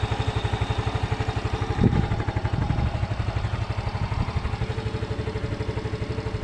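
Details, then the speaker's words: Yamaha Mio M3 scooter that won't start on the electric starter but starts first kick; steady idle, about four firing pulses a second, running evenly, normal; owner blames starter motor brushes or dirty armature. "Oke saya engkol kembali agar lebih jelas ya teman-teman satu kali pancal langsung hidup di sini ya teman-teman"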